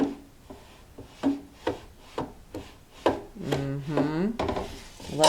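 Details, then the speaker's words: Luminaire/Solaris embroidery machine: repeated rasping scrapes about every half second with a squeaky drag as the hoop bottom rubs on the bed, visibly damaging the underside of the hoop, and throwing design alignment off. "take this out let's look at the back of my hoop see if you guys can see it look there see all that damage on the bottom of that hoop it's from that"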